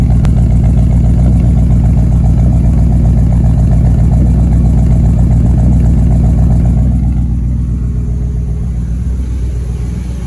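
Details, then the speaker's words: 1958 Chevy Bel Air 348 big-block V8, revived after sitting since the 80s: deep, steady, even burble. It smokes heavily, hoped to be from oil put down the cylinders and a first start on gas mixed with transmission fluid, runs smoothly, and got a little hot. "it sounds good yeah it smokes but it sounds good she's a smoking pretty damn bad"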